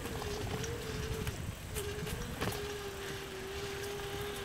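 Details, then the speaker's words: Xtreme 300-SLA e-bike on throttle, climbing inclines: a thin, steady mid-pitched hub motor whine over road and wind noise. Normal motor and electronics sound. "You might be able to hear the wine from the motor. That's just it's just the electronics doing its work."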